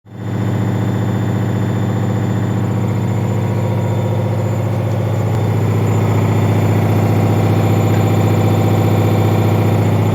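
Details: Leran washing machine on spin: steady drone with a regular thump about four times a second tracking drum speed; drum knocking from unbalanced load, avoided by briefly tumbling laundry to distribute it.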